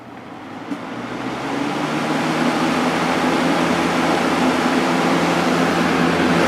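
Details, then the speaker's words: Vintage Kel Aire model 7000 box fan with a 3-speed Marco/McMillan motor, started on high after the motor was cleaned and oiled and the frame, blade and grills were washed. It spins up over a couple of seconds into a smooth, steady rush of air with a faint even hum, running healthy. "motor's cleaned out and oiled I cleaned out the inside of the frame cuz it was Dusty so all good to go now start it up on high"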